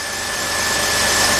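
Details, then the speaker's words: 2003 Jeep Liberty Sport 3.7L on its first start after a partial engine rebuild, fuel primed by cycling the key: an even, smooth idle with no knocks or misses. Some smoking and a questionable-sounding tensioner pulley were noted later. "that sounds that sounds really good"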